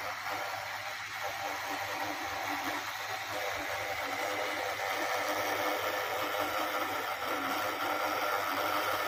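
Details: MSI GF75 Thin 9SCR laptop, about 1.5 years old: steady airy fan whoosh with an uneven fluttery rattle, about four flutters a second, from the left fan.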